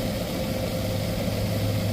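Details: Refrigerant recovery machine pumping refrigerant into a recovery tank while the gauge counts down from about 164 toward zero: a steady, low, even hum with a constant drone and no knocks or surging, running normally.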